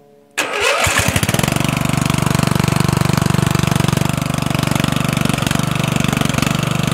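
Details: Murray 14.5hp 42" widebody LT lawn tractor on a chilly day, after rewiring ignition switch and fixing miswired solenoid ground: short crank, quick catch, steady thumping idle about four beats per second; healthy start.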